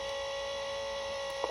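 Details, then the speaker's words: Swiss-made 1967 Fi-Cord 303 tape deck playing back its recording through an external amplifier: steady mid-pitched buzz under playback from the deck's motor; motor buzz. "let's back up and see if we have a little better audio and don't have that motor buzz that we [Music] had"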